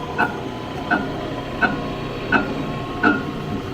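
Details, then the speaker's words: Saw with a three-phase electric motor (L1, L2, L3) and a fan running, on a first power-up after neglect. A sharp knock repeats about every 0.7 seconds over the motor hum, source not identified. The motor was found turning backwards, indicating a reversed phase. "y'all tell me if you see any splines [Music] the fans going got a knock going on"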